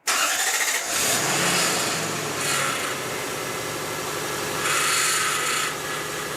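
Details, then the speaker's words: Lexus LS400 first start after transmission sump leak repair, power steering flush and new pump fitted: a high whine swells in waves over the idle as the pump runs dry; foam found in the reservoir. Power steering pump whine from running dry. "Put it out immediately. I can hear the power steering pump because it's running dry."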